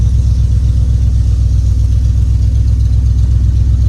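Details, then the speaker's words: 1970 Dodge Challenger accelerating on the road after carburetor tune; misfire declared fixed, though a large coolant leak was spotted afterward. Deep steady rumble pulling evenly under load, no stutter; normal acceleration. "Everything's working as it should right now. She does have a lot of kick in her."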